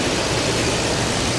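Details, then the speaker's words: Toyota Tundra idling after a serpentine belt replacement: steady even idle with a smooth hiss on top and no belt chirp or squeal. Running smooth, normal idle. "I I've just started that bad boy up and this thing was a real to put on but it seems to be running smooth doing nice a good clean"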